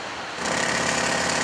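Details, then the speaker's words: Air Canada Boeing 767-300ER cockpit, pre-flight stall warning test: captain's (left) control column stick shaker gives a rapid, buzzy mechanical rattle that holds steady, warning of an approaching stall; working normally. "That's the captain's uh control column shaking. That would be warning you that uh-oh, we're about to approach a stall."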